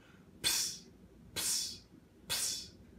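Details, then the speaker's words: Bar beverage dispensing system (bar gun): gas-driven syrup pump makes sharp hissing puffs about once a second, cycling constantly because of a CO2 leak at a faulty pump. "what is it it's a leak it's a faulty pump or a leak at a pump that is causing your solar system not to work correctly"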